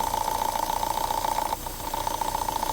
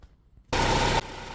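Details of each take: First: Vauxhall petrol engine idling rough with fast pulsing hum that briefly drops out; code P0171 fuel trim lean; strong crankcase suction; purge valve replaced without effect; PCV valve in rocker cover suspected, vacuum leak. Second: Vauxhall petrol engine after P0171 rough-idle/excess-suction fix (purge valve changed, no fault codes): catches with loud half-second burst, settles into steady even idle, temperature 52 degrees; normal start.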